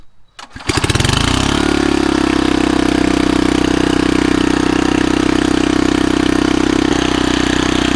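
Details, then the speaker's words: Old rototiller after a new spark plug (old plug sparked but looked wet): catches on the first pull and settles into a steady, even run with no misses or surging; runs healthy. "I just put a new spark plug in it this one was sparking but just looks kind of wet and I brought it outside the thing started it on the first pull so let's give it a try"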